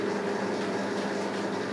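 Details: Lathe headstock after fitting and adjusting new spindle bearings, slow pulley low range about 170 rpm, fresh oil: steady even low hum, no knocking or grinding; running smoothly.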